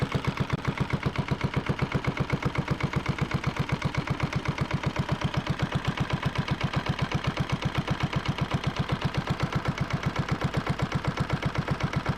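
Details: Yanmar 1GM single-cylinder marine diesel from a sailboat, on a shop pallet, idling a few minutes while diluted muriatic acid flushes calcified buildup from its cooling passages: slow, perfectly even thumping, every beat equal, no misses or knocks; normal idle.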